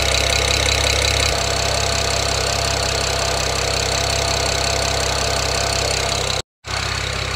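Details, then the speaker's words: BMW E92 335i with swapped N54 engine idling during its first heat cycle, water 60 °C, oil 37 °C: brief higher idle settling to a smooth steady hum, no ticking like the old engine had; normal. "but the engine sounds really smooth my old e92 engine had an audible tip when you left it idling like this so this sounds better hopefully it is"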